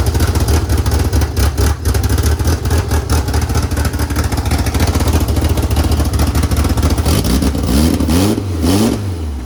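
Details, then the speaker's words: DSM project car first run with newly mocked-up belt-driven mechanical fuel pump: strong, even idle rising cleanly through quick revs and settling back, no misses or clatter; engine runs healthy. "Whew, baby. Wow, that sounds really good. I'm gonna turn this pump off."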